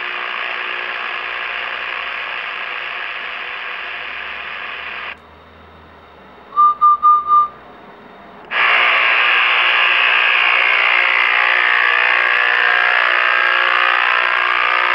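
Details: Realistic Navaho TRC 431 CB radio, after staying on a long time: hiss and rasp turning to a harsh rippling buzz once the mic is released; owner suspects old capacitors. Not confirmed.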